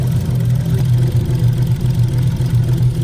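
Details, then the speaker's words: Engine running super rough, rougher than ever, with a deep lumpy idle stumbling unevenly; injectors unplugged one by one and ruled out, spark plugs suspected, head gasket feared; car had earlier MAF/MAP sensor problems when wet. Misfire, cause unconfirmed. "right yeah you know it could be like spark clothes or something to you cars running like super rough like almost rougher than it ever really has"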